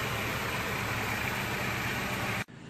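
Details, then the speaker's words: Toyota AE86 with freshly rebuilt 4A-GE, idling after ignition timing set per factory manual and TPS/throttle body adjusted: steady, even four-cylinder idle, no misses, knocks or ticks, then cuts off; timing light looks good, running well. "the timing light is looking good here's what it sounds like [Music] and it's running good"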